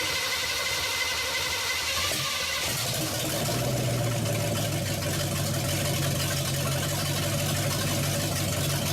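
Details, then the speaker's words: Truck cold start without pumping the gas or priming: brief cranking, then it catches right away and settles into a steady rumbling run; clean, healthy cold start. "see okay as you can see she started righted up starts real good"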